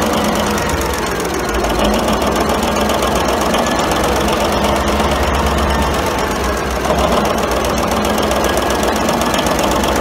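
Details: 1942 Cleveland 8-268A inline 8-cylinder two-stroke Roots-supercharged diesel generator engine, USS Stewart engine room, first start after 72 years idle; loud, steady clatter at constant speed with even firing, no misses; normal running.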